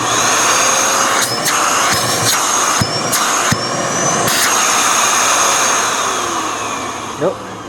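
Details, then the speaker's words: Dyson DC41 Animal curb-find vacuum: loud, steady, high-pitched suction roar with a few handling knocks and no choking. Suction sounds normal, though a clog remains somewhere. "actually sounds pretty good now look how dirty all that is though wow"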